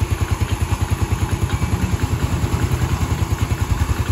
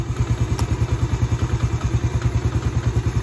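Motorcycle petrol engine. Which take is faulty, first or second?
first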